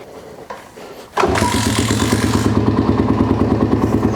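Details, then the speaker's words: Abandoned Kawasaki KLR 250 single, sat unrun perhaps over 10 years, new fuel line and filter, on choke: cranking, then catches into an even thumping idle about three beats a second; starts and idles normally, throttle suspected faulty. "Can't believe it started."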